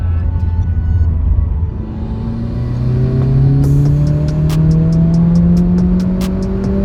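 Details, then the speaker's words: Mitsubishi Evo 8 during a tuning pull: engine pulls hard with a climbing note while a light, irregular high tinny rattle rides over it from midway; the source is not found. "It's so rattly. Why the fuck is it rattling?"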